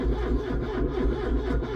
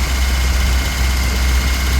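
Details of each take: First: Ford Cortina P100, not run for about five months (October to March), battery measured 7 V then charged four days on a 1 A charger; full choke, neutral. Sluggish laboured cranking about four turns a second, no firing; battery too weak to spin it. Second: Ford Cortina P100 pickup idling smoothly and steadily with an even beat, no hunting or misses, after 7 months unused; battery had dropped to 7 volts and was charged 4 days; a fuel hose leak was being checked. Normal idle.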